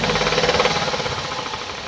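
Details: 2017 Hyundai i30 PDE, 2.0 petrol G3LS (88 kW), 77,160 km, running: quick, even ticking at a steady rate over the engine; noisy top end attributed to defective hydraulic lifters.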